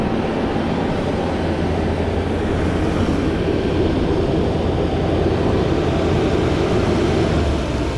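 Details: 1991 Mercedes 500SL, 39,000 miles, warm at about 82 on the temperature gauge, in drive (should be about 550 rpm): steady raised idle drone hanging up before settling; owner suspects heat and a sticking throttle linkage despite two new idle control valves.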